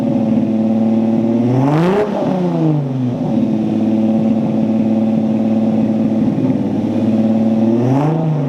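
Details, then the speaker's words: Datsun Z with the newly welded exhaust fully sealed up: revs climb and fall cleanly with a smooth drone and no joint leaks. Normal exhaust note. "will do another startup test I want to hear what the exhaust sounds like now that it's all sealed up"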